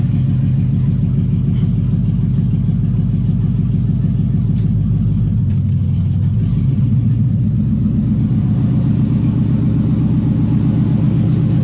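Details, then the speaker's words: LS-powered Camaro, wheels spinning free, after fixing a no-shift automatic transmission traced to the rear speed sensor; steady V8 drone with two clean pitch drops as it upshifts on its own into second and third, no flare. "actually just went in shifted on its own and drive into second and in the third"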